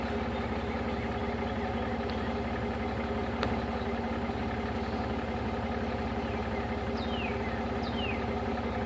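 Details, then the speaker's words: 2000 Jeep Wrangler 4.0 with a budget electric cooling fan, engine warmed up to about 210°F at idle: the fan kicks on with a constant airy rush, no rattles or ticks; normal electric cooling fan operation. "thermostat should be open right there maybe it was already open there goes the fan fan just kept on"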